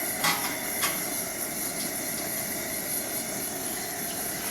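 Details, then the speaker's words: Pressurized Coleman white gas two-burner camp stove, one burner at full blast and the second, which relies on the first, simmering. A steady, even roaring hiss with a train rumbling past in the background. Normal burner operation. "So right now I'm full blast on one side, simmering on the other."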